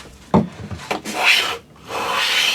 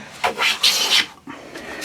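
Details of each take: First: Hand plane squaring a cupboard-door board edge with a finger as fence: short broken rasps from skipping cuts, then about a second of steady, unbroken hiss. Full-length plane shaving. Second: Hand plane squaring a cupboard-door board edge with a light first pass: short, broken rasping strokes with gaps instead of one continuous hiss, as the blade skips the high spots; no full-length shaving yet, then it starts to engage.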